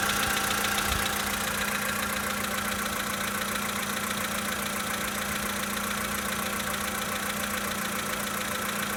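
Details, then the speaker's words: 2013 VW Polo Sedan Sochi Edition, 65,000 km, cold start idle: light regular tapping about three or four per second over the idle; engine knock when cold, cause unknown. "Запись стуков двигателя на автомобиле Volkswagen Polo Sedan Sochi Edition 2013 года. Пробег 65 тысяч километров."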